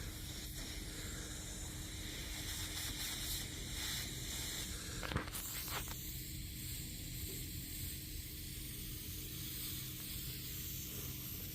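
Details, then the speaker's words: Hyster forklift hydraulic cylinder on 140 psi air: soft continuous hiss, tone shifting as the leak point is probed; the change in sound locates the crack and shows whether more gouging is needed before welding. "the change in sound from the air. And that's how you identify where exactly the crack is and if you got to keep gouging."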